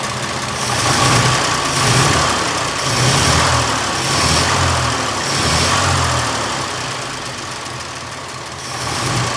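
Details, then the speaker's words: 1926 Oakland antique car, first run in 75 years, on its own fuel system: lumpy low idle swelling and sagging about once a second while the carburetor mixture is adjusted; mixture closer but still smoking heavily. "mixture's closer now mixture is closer now still smoking like crazy"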